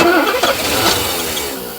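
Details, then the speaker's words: 1984 Mercedes 500 SEL AMG that sat 27 years: a fuel line is cracked at the central fuel pump to check delivery, and the starter cranks briefly with no firing. The owner thinks a bigger leak might let it start. "try again okay i think it'll start i think if we made a big enough leak it would start again i just didn't make that big of a leak"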